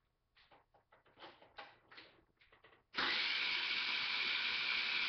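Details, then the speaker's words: Taotao 50cc moped with fuel and working battery and lights: short, uneven starter bursts that never fire, then a steady high whirr of the starter; cranks but won't start, owner suspects spark, unconfirmed. "like it's trying to start but it's not really catching so thinking it's probably the spark"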